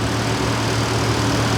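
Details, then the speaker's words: Big-block Ford 460 with a Holley Sniper 2 EFI, on first start-up. A steady, fast idle with an even low drone that won't go below 1100 rpm, with no vacuum leaks found. Later traced to the secondary throttle screw being turned in too far. "so I can't get it to idle lower than 1100 RPM I don't have any vacuum leaks or anything like that so I'm not sure what's going on"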